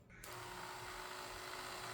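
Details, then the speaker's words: Electric motor for an ex-police BMW G31 Touring, bench-tested on 12 V from the car's battery: it spins up at once to a steady high whine with no grinding or stutter and runs fine. "The motor is moving. Okay, I'm not going to wait until it reaches the end position because now obviously the motor will keep on going."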